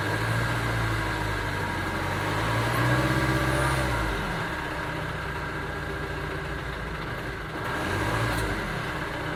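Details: 2009 Ford Transit Sport diesel van ticking over, then revved briefly; irregular idle beat with an occasional stumble; engine misfire.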